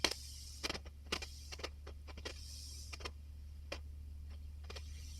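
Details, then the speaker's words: Vacuum tube amplifier with preamp controls at zero, mic against the speaker: scattered dry crackles and pops over a steady low mains hum as the master and presence controls turn; slightly scratchy pots, not bad enough to need sorting. "I'll just bring up the master control little bit of crackling not too bad presence control"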